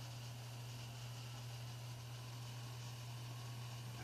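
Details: Antec Kühler 620 liquid CPU cooler after only 3 months of use, no tweaks or overclocking: steady low electric hum with a faint high whine, pump running louder than it should.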